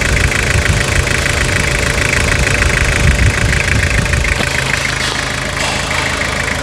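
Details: Restored Toyota Hilux (1992–2001 generation) diesel, engine heard after final assembly of a full restoration: steady clatter at an even idle, no misses or odd knocks over the rumble; rebuilt engine idling normally and healthy.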